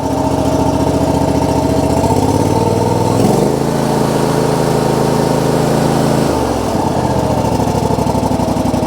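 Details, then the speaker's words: John Deere GX255 lawn tractor, 22 hp Kawasaki engine, previously sputtering at idle: after an oil and filter change and new NGK spark plugs, it idles evenly, rising briefly then settling with no sputter — smooth idle. "Already sounds like it's running more smooth."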